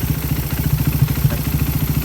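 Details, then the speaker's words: Raider 150 carb motorcycle idling; sharp even tick about nine per second on every beat, from inside the engine not the head, persisting after cam replacement with new stock cam; owner suspects crankshaft bearing, unconfirmed. "Tapos hindi man problema dito yung lagatik. Kaya bibiyakin namin tong makina. Baka sa dyan, crankshaft bearing siguro to."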